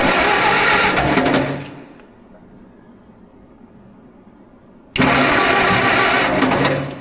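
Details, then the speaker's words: 1947 LeTourneau D4 Tournapull scraper after sitting 10+ years: steady fast cranking that never catches, with no spark from dirty ignition points; cleaning the points restored spark. "Nope. I'm not surprised. We'll clean up the points."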